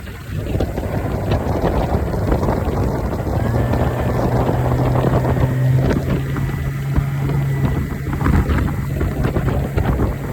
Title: 90 Suzuki had a bad injector caused power loss. All fixed now with a new injector. #suzukioutboards